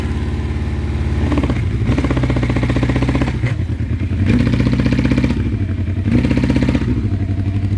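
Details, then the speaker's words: 1984 Honda CB700SC Nighthawk, on reserve and run on choke, gas smell: each blip nudges pitch briefly then sags to lumpy idle, won't rev; runs well only on choke, owner suspects rings or carbs. "I do smell gas but I'm having to run it on choke so running good on choke but I don't think it'll rev"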